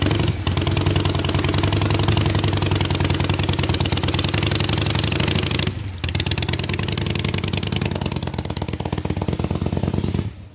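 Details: 1985 Harley-Davidson Ironhead Sportster on a road test ride, with a rear cylinder jug leak and a stiff shifter; steady loping pull, revs rising through the gears and dipping at shifts, no knocks, runs pretty good though not perfect.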